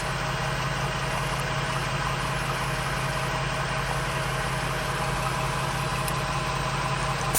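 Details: ARB onboard 12V compressor in a Ford Transit van, engine running: steady even drone over low idle, no knocks or stumbles, inflating a tire from 25 psi, reaching 36 psi in about 30 seconds and 49 in 1:15; normal operation.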